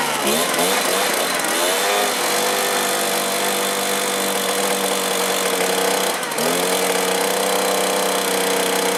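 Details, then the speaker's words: Stihl BR450 backpack blower that starts then dies, running on clean two-stroke fuel at half choke: high, buzzy two-stroke note that wanders, sags and recovers, unable to hold an idle. Low-speed carburetor setting suspected; later seems not to be pulling fuel. "Throttle doesn't seem to want an idle so I'm going to try to set the low side a little B"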